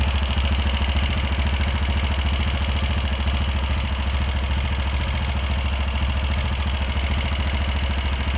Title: TVS Apache 160 4v new edition engine sound problem 😰😰😰